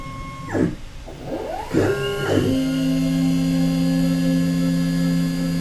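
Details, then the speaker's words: Carbide3D Nomad 883 desktop CNC mill with a 1/8 or 1/6 inch endmill: tones sweep as the spindle spins up, then a steady, rough-edged buzzing whine while facing. The cut sounds harsh, cause unclear; adding lubricant was suggested. "it is by no means a wonderful sound ah"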